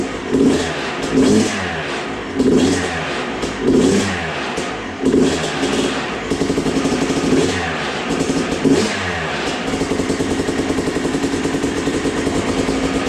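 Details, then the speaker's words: Freshly total-rebuilt Yamaha YZ250 two-stroke with a new air filter, warming up through heat cycles before customer pickup. Sharp throttle blips rise and fall about every second, then a steady crackly idle, clean and even. Normal running. "Build the motor, I like to at least get 1, if not 2 heat cycles on it before the customer picks it up. Mike's actually coming down today, so I'm gonna get this thing nice and hot, make sure it's all good before I call him"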